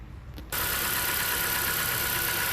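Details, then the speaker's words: 2017 Honda Accord 2.4L with over 120K miles, just after replacing the 9-year-old serpentine belt with a new Gates belt: a smooth, steady idle with an even hiss and no chirp or squeal; the belt drive runs quietly. "All right, there you go. Brand new Gates belt. Nice and quiet."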